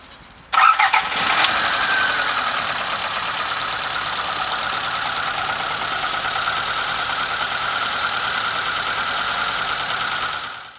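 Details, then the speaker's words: Engine rebuilt and reinstalled after investigating an unexplained knock: cranks, catches and settles into a steady, fairly loud idle; still noisy but knock is gone, normal running with no knock. "Шумность двигателя осталась, в принципе, на неудовлетворительном уровне. двигатель довольно-таки громко шумит, а, но стука нет."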